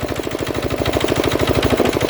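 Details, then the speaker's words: Diesel air compressor charging under load after cutting back in at 125 psi (unloads at 150 psi): a fast, even chugging of about eleven pulses a second with a firm beat, pumping up normally. "So the compressor is working absolutely fine. You can certainly hear the load it makes. The difference in load when that shuts off."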